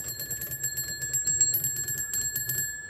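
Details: Lionel No. 76 warning bell and shack, vintage store find: quick bright metallic dings about four a second over a steady ring, tapering off at the end; the bell strikes and rings normally.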